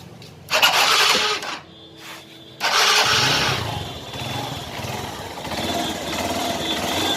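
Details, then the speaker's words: TVS Star Sports motorcycle after an engine sound problem was repaired: a quick starter whirr, then it catches and settles into an even, steady idle with no tapping or rattle. Normal start and idle. "Sound बिल्कुल ओके हो चुका है।"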